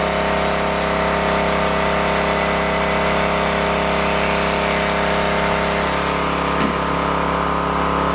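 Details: Onan K450 portable generator, yard-sale unit that sat a long time: steady even drone, no knocks or misses, slight load change partway; sounds healthy.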